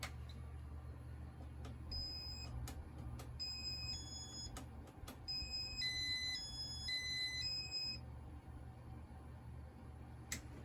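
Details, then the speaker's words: 1984 Casablanca Victorian ceiling fan with first-generation RMM1 IntelliTouch control, after running on high with light full: sharp high electronic beeps in quick bursts over room hum, beeper pitch rises and louder when warm, cause unknown. "And instead of getting lower pitch, this one gets higher pitch, unlike all the other RMM1 fans I have."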